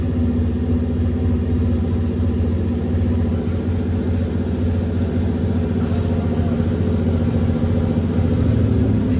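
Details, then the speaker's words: Nissan S14 with a 1UZ V8 swap, second first-start attempt after earlier long cranking: strong, even starter cranking with a steady rumble but no firing while the throttle is adjusted; it turns over well yet won't start. "at least it cranks over well let me mess with the throttle real quick okay try it"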